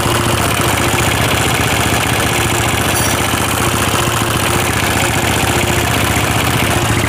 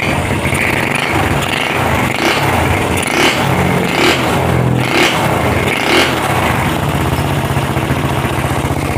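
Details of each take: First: Honda CB/GL motorcycle, rough top-end clatter from the left over an unsteady idle after valves were recently adjusted, louder when revved; cause found to be worn camshaft and rocker arms. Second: Honda CB/GL single-cylinder after replacing the worn camshaft and rocker arms, oil circulation checked: fast even beat through a few throttle blips, top end now quiet with no ticking or rattle; normal running.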